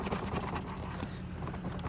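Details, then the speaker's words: Steering rack clamped and shaken by hand gives quick uneven hollow knocks over low engine hum; small play found, causing knocks on rough or dirt roads at low speed and free play at centre; rack previously tightened, now needs adjusting again. "даже слышим что у нас появилось небольшой люфт"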